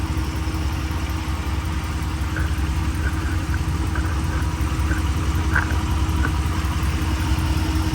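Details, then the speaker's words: Flood-auction truck, 36,000 miles, dry engine: even low idle drone with only a faint light tick, no misses or knocks; smooth engine. "The engine is smooth. That is a smooth engine."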